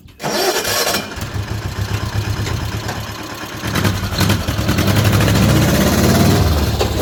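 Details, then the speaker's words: Old tugger work vehicle, sat all winter and wouldn't take gas, after Zenith carburetor rebuilt and cleaned: catches at once, runs even and clean, pulls away smoothly as revs rise, no stumble; runs good. "Well, she runs good. Sure proud to get her back up and going."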